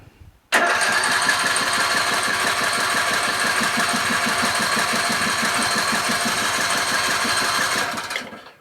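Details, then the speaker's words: Craftsman LT1000 lawn tractor, ready for sale after three carburetor changes and sitting two days: with choke on and fuel shutoff opened, steady starter churn for about seven seconds, never catches. Owner suspects lack of gas. "Not good at all. The plot thickens. Gas is usually a prerequisite to an engine starting."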